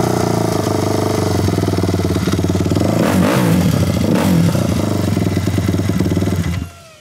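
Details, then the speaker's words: Kawasaki KFX450R quad after relocating and upgrading to a larger 400EX battery, started with choke on: single-cylinder cranks over much quicker and starts fast, steady thumping with throttle blips, then clean shutdown; normal running. "could hear how quick it starts up I think that's just because it cranks over so much quicker than it would with a smaller battery"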